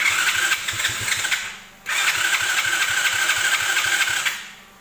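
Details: Chinese 125cc automatic quad with a newly fitted carburettor, choke on and old fuel drained. Two bursts of steady fast cranking with an even chuff, catching hints but not running; owner thinks the carb needs adjusting: cranks but won't start.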